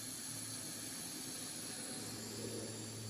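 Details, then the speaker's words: V8 engine with low compression on cylinder 8, leakdown test at 6 bar with the piston at TDC. Steady airy hiss at the engine breather, nothing at the intake or exhaust. High leakage into the crankcase; most probably a collapsed ring or cracked piston. "And then almost immediately you can hear the noise. So this is a breather in the engine, so what we have in this case, it is most probably a collapsed ring or cracked cylinder. Cracked piston. So you'll see the leakage is high."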